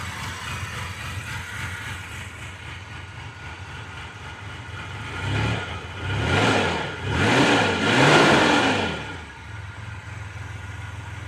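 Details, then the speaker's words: 1990 Mitsubishi Montero at first start after checking firing order: uneven stumbling idle with a couple of throttle blips swelling and falling back; running rough and rich, puffing black smoke, timing not yet verified. "It's running. It's stumbling, but it's running."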